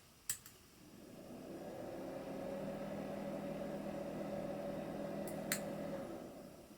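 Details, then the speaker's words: LaPine Titan 32 MB RLL mobile hard drive (mid-1980s, 615 cylinders, four heads, stepper motor) on power-up: a click, motor spinning up to a steady hum, another click; startup noise abnormal, something loose inside suspected. "so that noise is normal the startup noise is not normal there's something loose in there"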